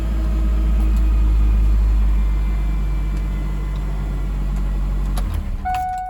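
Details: 1998 Ford Ranger 2.5 four-cylinder starting after its completely dead battery was revived and took a charge: deep, steady rumble with no misses or knocks, running evenly until the key is switched off. Normal idle.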